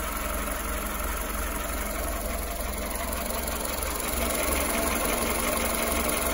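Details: 2014 Skoda Fabia 1.4 after service replaced bent valves when INA timing belt snapped at 170k: steady idle with regular light knock about three a second, plus oil burning 2-3 L per 10k; bottom-end knock suspected, not confirmed.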